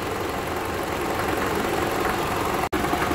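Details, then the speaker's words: 2012 Toyota Camry 2.5 (2AR-FE) idling in drive with brake applied and AC load: dense gritty drone with uneven knock three to four times a second, worse at low rpm under load depending on engine heat; stethoscope locates it at the balance shaft. "so I took my stethoscope and it's very pronounced in this area so we're dealing with the balance sha"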